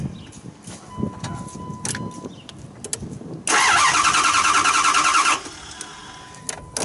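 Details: 2009 Dodge Durango: starter spins the engine in an even quick whirr for about two seconds, nothing fires; low fuel pressure and fuel pump circuit suspected, not confirmed; crank, no start.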